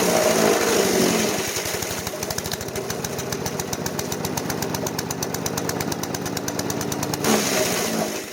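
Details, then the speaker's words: Craftsman chipper-shredder, 5hp Briggs & Stratton 133412-0059-01, after rebuild, feeding branches: engine runs hard and ragged with chipping clatter, pulling down, slow RPM recovery; bogging under load, owner suspects the never-changed air filter. "however it does seem like it bogs down pretty easily and when it does takes a long time for the RPMs to come back up and I'm pretty sure I know why I never changed the air fil"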